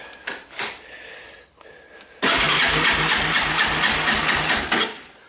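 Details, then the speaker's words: 2002 Kawasaki Lakota ATV, increasingly hard to start, now no spark: starter spins engine briskly on a lithium battery for a few seconds but it never catches; owner believes the CDI failed, and a replacement CDI got it running. "as a matter of fact it has one of those uh fancy mousse Lithium-ion batteries you can see it turns over really nice but it just will not start turns out the CDI went bad I believe"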